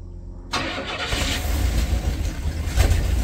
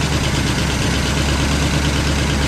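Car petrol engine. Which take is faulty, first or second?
first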